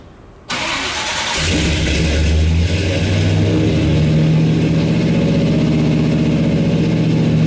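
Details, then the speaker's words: High Boy 390 V8 truck first start after a Holley Sniper 2 EFI install: cranks, catches at once and settles into a steady, even idle with smooth blips. Starting and running healthy. "brother do you hear that sounds good it sounds so good"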